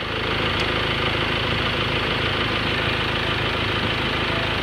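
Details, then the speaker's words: Ford Everest idling after replacing noisy, worn auto tensioner and drive belt: steady even hum, no belt squeal or chirp; noise gone. "so swabe na yung ating pinalitan na aut conditioner at saka drive belt mga Bossing ng Ford Everest Okay na Sir okay na wala ng ingay"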